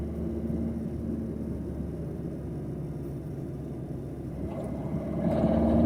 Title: Corsa D - Turbo failure